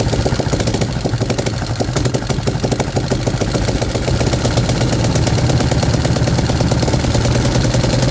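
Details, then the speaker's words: 3D-printed 125cc four-stroke engine: lumpy, uneven chuffing idle with loose rattling clatter like a Ducati dry clutch and irregular firing, only a small throttle response; runs only on choke. "Now that was a more decent run. The main thing that I've noticed is that the engine only runs choke, and it actually sounds like a Ducati dry clutch somehow."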